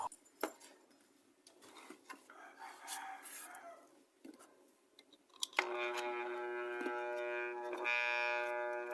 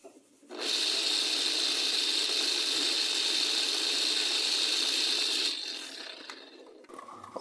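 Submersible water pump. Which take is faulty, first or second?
first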